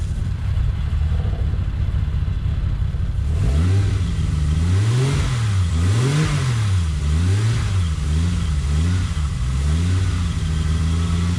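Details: Toyota Supra after cooling system rebuild (new water pump, thermostat, coolant): engine fires and settles, then revs up and down cleanly with a smooth, steady note, no knocks or misses; normal start and revving.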